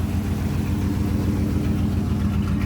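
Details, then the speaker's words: Dodge Ram 1500 V8 just straight-piped: loud, deep, even idle through open pipes, steady pulse with no ticking or typical Dodge valve rattle; the engine sounds sound. "but guys the engine is sound no noises it doesn't have the typical Dodge valve rattles and stuff"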